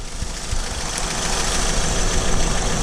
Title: Acura TSX cylinder misfire P0303, Ignition Coil change, Quick Easy Fix